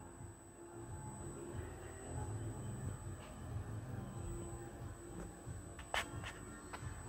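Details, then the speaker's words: Bose L1 Pro16 column, switched on in a studio: a thin, steady, very high-pitched whistle, traced to the column itself. "i could hear this noise bugging me where does this noise come from searching everywhere i located it to the column"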